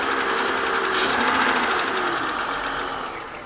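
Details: BMW 323i at idle after full cylinder head rebuild and machining (valve job): light fast metallic ticking, about four per second, from the engine top end, louder than before the rebuild; cause not pinned down.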